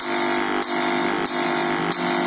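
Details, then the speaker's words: Kada 1250g gas (sui gas) suction compressor pump after fixing a pressure/magnet problem, pipes attached and switched on: steady buzzing hum with even hiss pulsing about every half second, now sucking properly and blowing air; normal pump running. "अब हम इसको ऑन करके देखते हैं। ये आपको आवाज आ रही है, ये देखिए अब शक की आवाज आ रही है आपको, पहले नहीं कर"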